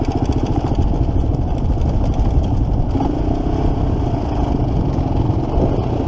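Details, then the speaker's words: 1987 Kawasaki Mojave 250 water-cooled four-stroke ATV, throttle sticking, starting to ride: single-cylinder thumping with loose metallic clatter at steady revs, tensioner sounds completely loose; timing chain slap. "timing chain smacking a little yeah throttle sticks the timing chain sounds like the tensioner is completely loose see once you get going the chain"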